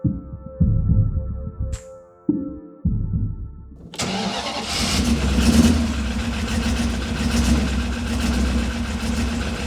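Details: Maserati Ghibli 4.9 V8, first start after refitting engine and gearbox in a project missing many parts: after the starter it catches at once and settles into a steady, even rumble with no misses or knocks; normal start and idle.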